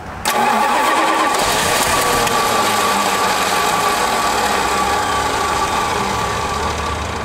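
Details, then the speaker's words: Plymouth Fury that sat for five years: steady starter cranking near 220 rpm, engine tries to pop but never fires; spark present, flooded or out of gas unsure, suspected fuel starvation. "come on we clearly have sparked because it's tried to pop off is it flooded or is it out of gas that's the question"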